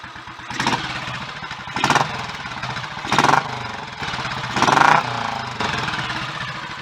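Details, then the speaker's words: Royal Enfield 500 single after refitting cylinder head and valve gear with Redditch S cams (inlet retarded one tooth), 230 main jet, idle turned down: steady thump with clean throttle blips; mechanically healthy idle. "I'm happy with how that sounds a"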